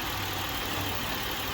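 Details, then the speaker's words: 2007 Buick LaCrosse 3.8 at idle with EGR valve commanded to 10% open by scan tool, 1.2 volts on signal; idle turns lumpy and uneven with lopey beats. Rough idle from EGR open at idle. "we're going to activate more so under 10% you hear the idle's a little bit more rough cuz that EGR is opening up right now at 10% we have 1.2 volts"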